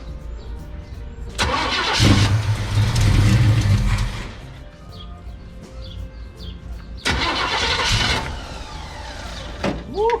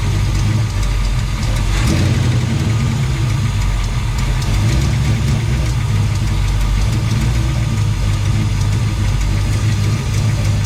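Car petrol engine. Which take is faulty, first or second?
first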